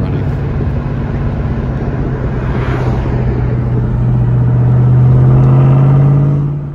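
Deep, steady V8 drone rising smoothly as the car pulls away, even firing with no knocks or misses; healthy engine under way.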